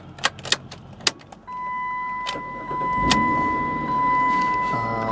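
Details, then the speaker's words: 2004 Chrysler Sebring Limited convertible with 433,000 miles, no real issues over a couple hundred miles of driving: a few clicks and a chime, then the engine catches promptly and settles into a steady, even idle; normal start. "right, as you see, it starts right up. This is one we've driven a couple hundred miles at least, and we haven't had, any real issues at all with the vehicle."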